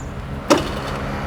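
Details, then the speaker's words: 2022 TVS Dazz carburetor scooter, electric start: one sharp mechanical "ceklak" clack as the starter engages, then a low steady hum. Old-style, early-2000s-type starter like the old carbureted Honda BeAT; loud but normal. "Kayak apa coba? Kayak Honda Beat Karbu ya, yang zaman dulu ya, yang suara starternya masih ya ceklak gitu."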